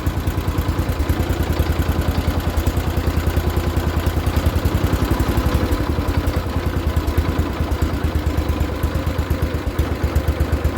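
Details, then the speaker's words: Barn-find 1973 John Deere 140 H3 garden tractor, sat about 20 years, idle being adjusted: even, steady low idle with no misses or knocks, runs fine, but battery reads 12.4 V running versus 12.5 V off, so not charging. "Okay, so it seems to be a theme with me buying tractors that start and run easily but do not charge the battery."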